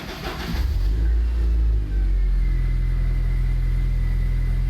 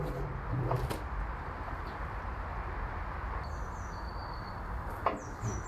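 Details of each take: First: Abandoned Land Rover Freelander after replacing a blown fuel pump fuse so the pump primes: engine cranks, fires and revs briefly, then settles into a strong, steady low idle with no misfire; some dashboard warning lights on. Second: Abandoned Land Rover Freelander cranks at a steady, even rhythm for about seven seconds without catching. There is no fuel, and the fuel pump is not heard priming; the cause is a blown fuel pump fuse.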